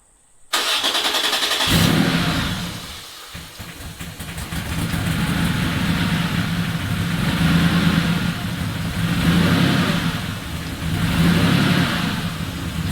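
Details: Air-cooled Porsche 911 3.0SC converted to EFI and turbo, 3.2 throttle body with the idle air bleed screw opened one turn because the idle valve isn't working well: it starts at once, idles steadily and returns cleanly from throttle blips. Normal idle and revs.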